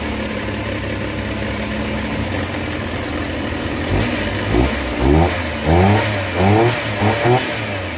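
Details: Suzuki Multicab K6A, previously wouldn't start: small engine idles steadily then takes several quick throttle blips that rise and settle cleanly; healthy.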